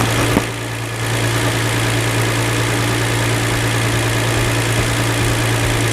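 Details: 2007 Hyundai Entourage 3.8 V6 after a new MAF/IAT sensor (P0102, previous no-start): engine stays running over 30 seconds, then settles into a steady, even low drone with no stumbles; runs cleanly, apparently fixed.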